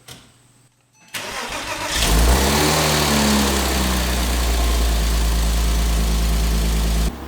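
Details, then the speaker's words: 2005 Porsche 987 Boxster S, rebuilt M96 3.2L engine, total cold start after a few weeks sitting: brief crank, quick catch, flare-up, then steady fast idle; clean healthy cold start. "But let's go to a quick clip of this thing starting. Total cold start, first time in a few weeks. Let's do it."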